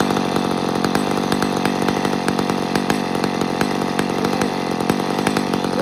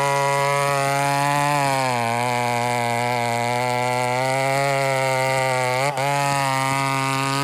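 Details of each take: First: Chainsaw at full throttle with a thin, hard scream and crackly edge, over-revving; lean on the high-speed jet even though it was set richer than before. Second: Chainsaw at full throttle with the high-speed jet set at one turn out: clean, steady high-pitched scream that holds its speed, dipping only briefly once; running strong and healthy, normal full-throttle running.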